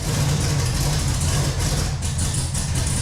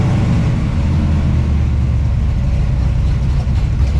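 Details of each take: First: 1968 Camaro with a fresh 383 stroker of about 500 hp and a used 750 CFM double-pumper carb: the V8 lopes at a very low, heavy, uneven idle, barely staying lit, from too-retarded timing, a rich mixture and low idle speed; correcting the timing raised idle to about 1100 rpm. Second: 1968 Camaro with fresh 383 stroker V8 (~500 hp) replacing the 327, on the road: deep, steady rumble holding even under way, no knocks or misses; healthy engine.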